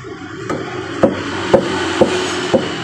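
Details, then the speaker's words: Mitsubishi Outlander EPS steering rack, tapped by hand with wheel on, before repair: five hollow knocks about two per second showing the left rack bushing is loose on the shaft. "Nah jadi seperti itu bunyinya ya Ada ketukan dia e bahwa busingnya itu udah longgar dengan E rootnya atau asnya"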